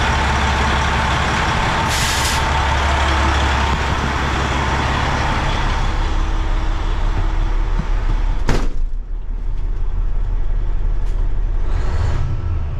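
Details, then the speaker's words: Old Freightliner semi diesel, after repair with the valve cover off and rockers checked, no longer sputtering though still logging a fault that may need programming: steady, even low idle rumble with some air hisses, no stumble or misfire. "I hope that's it but the truck sounds it's not sputtering like it was"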